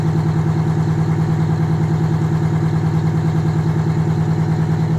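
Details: Detroit Diesel 92 series, ex-military engine sat 20 years, installed in a bus, first start next morning in the 50s°F: even, steady diesel chug, about three pulses a second, low regular drone, no knocks; healthy cold idle.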